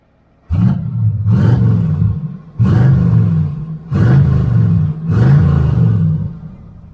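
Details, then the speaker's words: 1977 Corvette V8 after fitting new mufflers. Deep, smooth roar through five quick throttle blips, each settling back cleanly with no rattle or blowing leak: a normal, healthy exhaust note. "okay well that looks much better actually that would sound pretty good on the El Camino"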